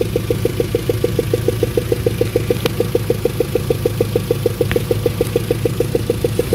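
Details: Daewoo Nexia 1.6 engine on a -17°C November day: a sharp, even tick-knock about three times a second over the idle. Cause unknown; shops ruled out hydraulic lifters and crankshaft, and an oil change was advised first.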